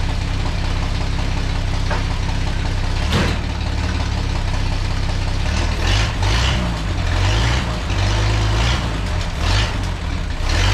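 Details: Truck engine with splash (slinger) oiling and no oil pump, after separating a plug wire that caused a miss: strong, even rumble with throttle blips and no miss or stumble; normal running.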